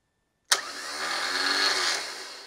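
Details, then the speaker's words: Car starter test, clamp meter on the solenoid feed wire: sharp solenoid clack, then a steady high whir that holds evenly and fades; starter spins freely, solenoid current peaking about 8.9 amps. "So when I hit the start button, you're gonna see the motor start spinning. It's gonna shoot it out into the flywheel and it's gonna create some current to do that."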